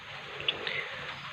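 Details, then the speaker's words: Polytron Slim TV: constant loud hiss and crackle straight through the left speaker even without video, the picture sometimes goes dark; a burnt resistor R517 was found. "Ada suara menderik yang langsung ke speaker masuk ke power ya ke L speaker. Jadi suara di TV itu ramai banget"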